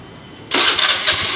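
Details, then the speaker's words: Honda Beat injection scooter, after fuel pump service and repair of the wiring, still on the old battery; quiet, then a crank catching straight into a smooth even buzzing run. Normal electric start, charging now normal. "Coba ini kita starter, cek di sini. Oke, nah motor sudah bisa menyala."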